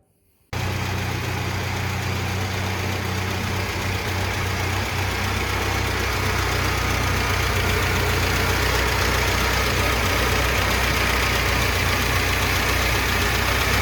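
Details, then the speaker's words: 1985 Mitsubishi Pajero after its Weber carburetor swap fixed the rough idle: steady, even idle with a smooth low beat and no misses, knocks or hunting, purring like a cat. "Engine idle, we're purring like a cat."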